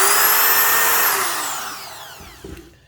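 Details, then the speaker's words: Hitachi D10VH2 3/8" utility drill, newest model (3-screw gearbox, baffling likely removed for airflow) free running: steady high motor whine with brisk fan rush falling smoothly in pitch on coast-down; healthy but fairly loud. "a reasonable noise level, but it is a little bit loud."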